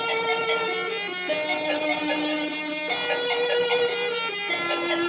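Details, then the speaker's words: Commodore 64 playing the Donkey Kong arcade port: music buzzy and off-pitch with a rough edge on every note; faulty SID sound chip, to be swapped for comparison. "not sounding correct that's screwed up sounding"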